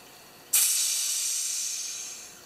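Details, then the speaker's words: Homelite XP1020 chainsaw crankcase seal pressure test, carburetor bolted down over new rubber pads: held 5–5.5 psi with no leaks, then unplugged, giving a sharp hiss of escaping air that fades over two seconds. Crank seals good. "that's quite a bit of air in there I'm happy yeah and I can assure you that the PO that the the air pressure in here is changing all the time that's what two strokes do"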